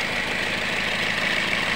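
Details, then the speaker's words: Toyota Yaris with a rough-sounding, powerless engine that runs hot and keeps losing radiator coolant: rough idle with a dry, busy clatter. A loose or worn timing chain or worn rollers is suspected, and the VVT-i sprocket teeth were found broken. "Nah untuk analisanya sih Sepertinya di bagian e rantai timing atau rantai ktingnya ya mungkin mengalami longgar atau bahkan rolnya yang sudah e mengalami kausan"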